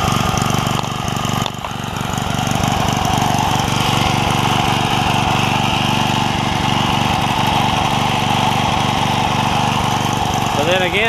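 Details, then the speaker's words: Craftsman 3hp Tecumseh edger after repair, with a snowblower carburetor fitted, at steady moderate speed: an even putter with no surging. The owner thinks it still runs a tad rich, but it idles down and restarts fine. "I think it's still running a tad wrench but it idle down and then it starts right back up"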